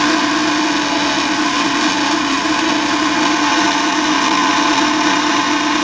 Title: Buzzing sound coming from furnace blower fan